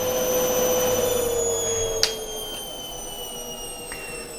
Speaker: Now that the machine has a balanced load, you can hear that it's spinning much more effectively and comes up to a spin speed far quicker.